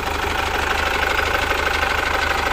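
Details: Chevrolet Captiva Diesel FL, around 2012–2013, damaged by Biosolar fuel, hard pulling, heavy smoke, hard starting: diesel idle with a hard fast rattling knock on every beat, sharper than normal clatter; fuel system suspected; diesel knock at idle.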